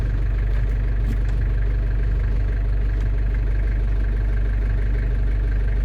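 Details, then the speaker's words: London Taxi diesel automatic, idling warm after gearbox gasket and fluid renewal, bleeding by holding each gear about 10 seconds: steady even idle, no clunks, whine or flare; each gear engages normally with a slight rock. "So you can see there I've gone through each gear about 10 seconds or so in each gun, and you know it's about right because when you pull it down into gear, obviously you'll feel a slight rock or an indent as they call it, so that means the gearbox has selected that gear."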